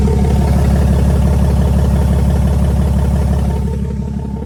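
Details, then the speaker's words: 2016 Ram 2500 6.7L Cummins diesel, mildly tuned, full delete, after fitting a Pedal Commander PC31 that threw check engine and throttle-control lights, black smoke, power loss: deep drone with fast steady clatter, exhaust brake unusually loud and struggling, heard under the truck. "It's never been that loud under there. So I'm gonna shut off the exhaust brake."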